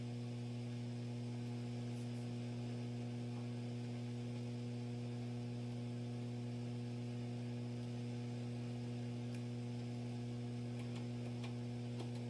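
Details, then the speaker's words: Acoustic B25 bass combo amp on a variac at 106 volts: constant low buzzy hum with faint crackle, unaffected by volume or knobs; 315 mA fuse good, cause not yet traced, capacitor suspected. "we'll hit 106 volts and now we're getting some noise that's not related to the volume or any of the other knobs"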